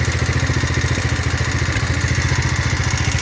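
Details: 170F single-cylinder engine after replacing crankshaft and connecting rod, fresh oil: even, steady thumping around three or four pulses a second, no knock or rattle; the knock is gone. Normal running.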